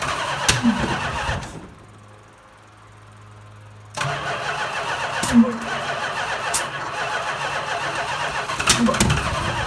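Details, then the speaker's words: 1970 Chrysler Imperial, 440 big-block V8, parked since 1993: starter cranks in short bursts with some sharp pops but never catches; no-start, fuel pouring out of the leaking mechanical fuel pump, later replaced with an inline electric pump. "So I ran out to CarQuest, picked up an inline electronic pump."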